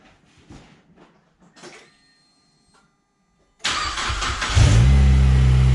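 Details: Fully built Mazdaspeed 6 with Precision Gen2 6062 turbo and 2200cc port injection, after refitting a loose O2 block-off on the downpipe that caused an exhaust leak: engine catches, settles into a strong even idle, revs smoothly, no leak puff.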